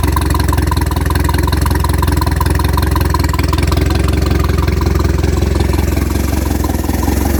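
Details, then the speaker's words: Fully built turbo Pontiac Sunfire with water-methanol injection, after startup: steady even low idle pulse around 214 beats a minute, no knocks or misses; normal idle. "as you can see it does it does run"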